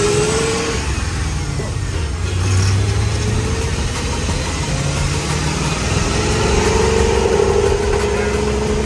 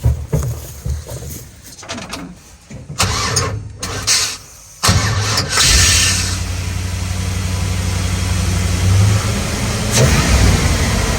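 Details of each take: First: 6L LS-swapped, lifted Unimog 404 on 46-inch tires revs unevenly and sputters, breaking up as it climbs; coolant peaked at 128 °C, overheating suspected as a big part of the problem. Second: 6L LS-swapped Unimog 404 cranks, catches and settles into a steady V8 idle after topping up with gasoline; now running on the reserve tank.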